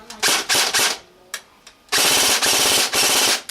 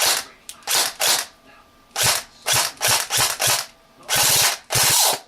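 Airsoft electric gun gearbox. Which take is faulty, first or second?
second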